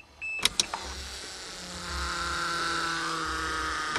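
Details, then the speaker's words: 1982 Toyota Cressida during repairs to make it run: clicks as the key turns, then a steady even electric hum and whine as the fuel pump primes normally, pressure changing at the fuel lines and air heard purging from the system. "where the fuel lines go out he the pressure changing she's priming I hear the air purging out of the system"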